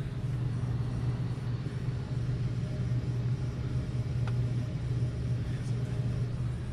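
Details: Goodman AC system, outdoor condenser fan motor won't spin: steady low hum of indoor blower with refrigerant circulating; fan fault not audible in this clip.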